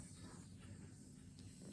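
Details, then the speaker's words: New carbon 29er tubeless front wheel with sealant, inflated near 40 psi: faint steady hiss at the valve stem despite tightening the core; air leak suspected past sloppy rim tape. "I'm not hearing any hissing or any. Oh, I hear something here at the stem."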